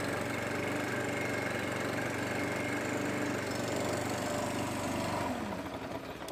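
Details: STIHL BR600 two-stroke leaf blower after carburetor and fuel line replacement, carburetor adjusted, primer ball still faulty: steady strong buzz under the fan's roar, then winds down smoothly; running healthy.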